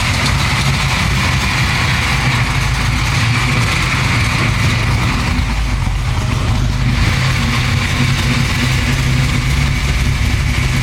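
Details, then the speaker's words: 1969 Camaro restomod, 427 Dart block V8: coarse fast idle with uneven blips, running poorly; air-fuel reading around 35 suggests way too lean; spark plugs to be checked. Cause unconfirmed. "it doesn't seem to be working it's like a 35 which is a signal mean way too lean"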